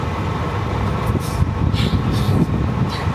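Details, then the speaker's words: Mercedes T1 409D diesel camper van driving, after tightening a loose transmission bolt or mount; steady low diesel drone and road rumble, no clanking: normal driving without clunks. "This is what it sounds like. No more clanking. I don't know. One of the uh bolts for the transmission was loose or the transmission mount."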